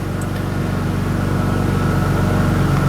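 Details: Audi B5 S4 after reseating a loose throttle body boot that caused a boost leak, limp mode and check engine light, faults cleared, fuel trims adapting: steady, even low idle, no hiss, surge or hunting; normal idle.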